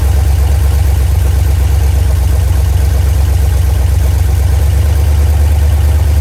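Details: Freshly rebuilt 1990 Mopar 318 V8 (D150 truck) with new Rock Auto parts, mild Comp custom cam, Air-Gap intake, first run, at about 175° operating temperature, timing 15° at idle, 33° total: steady even burble, no knocks or ticks; normal idle.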